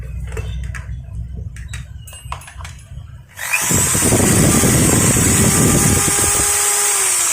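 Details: Maktec MT811 hammer drill after gear (pineapple gear) replacement to fix a head that spun freely while the motor ran: spins up to a steady, even high whir with smooth gear hum, no knocking or grinding; healthy after repair.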